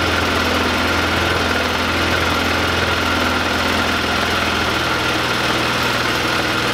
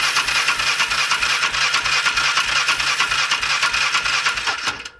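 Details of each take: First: 2005 Polaris Ranger 500 after cleaning out and reassembling with gasket: steady even single-cylinder putter, constant beat, no knocks or misses; normal idle. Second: 2005 Polaris Ranger 500 UTV non-runner, cranked in neutral: the starter whirs with even compression pulses about three a second and never catches, with no spark. The choke may have been on; a mechanical or electrical fault is suspected.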